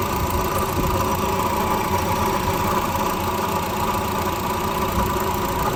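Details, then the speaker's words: 2013 Honda Civic at 86,000 km, idling right after start: a constant gritty whirring rush over the engine, like a broken bearing; worn water pump bearing. "जैसे ही गाड़ी को start करते हैं तो engine के अंदर से अजीब सी आवाज आना शुरू हो जाती है जैसे कोई बेरिंग टूटा हो या कोई चीज डैमेज हो"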